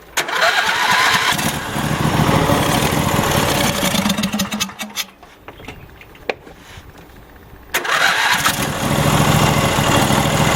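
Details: Troy-Bilt GTX2654 riding mower, 26 hp Briggs & Stratton, hydrostatic, 542 hours, bought as a no start with a blown fuse, Marvel Mystery Oil added: starter churns briefly, engine catches and runs steadily; normal cranking and start.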